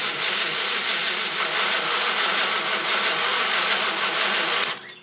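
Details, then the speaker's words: 1954 Studebaker sedan, 6-volt starter, right after new larger-gauge battery cables, cranked with a remote starter: brisk, even whirr at about three turns a second, holding speed; much faster than before, normal cranking. Owner suspects a weak condenser. "that's pretty good that is a lot faster than it was yep that is a lot faster i'm happy i think we can call this a success"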